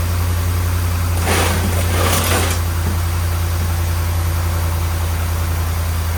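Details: 2010 Ram 1500 5.7 Hemi V8 with suspected bad grounds and leaking gaskets, just started after fuel priming: steady, even low idle with a deep hum, no knocks, ticks or misses; sounds good.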